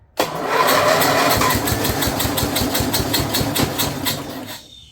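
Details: Snapper rear engine rider with Briggs 12 HP single-cylinder engine, abandoned for years, brand new carburetor leaking fuel with choke open; revved, it thumps roughly and surges then dies away; owner feels carburetor isn't happy, blade also turning.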